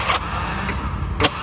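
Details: Bajaj auto-rickshaw 205cc engine cranking in short laboured bursts with sharp clacks, turning weakly and never firing; the mechanic is unsure whether the battery is dead or the starter is faulty, and says the worn-out engine only reaches about 15 and has no pick-up.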